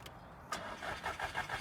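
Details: Volkswagen Scirocco turns over with faint, even cranking chugs about six or seven a second but never catches or stays running; repeated cranking is draining the battery.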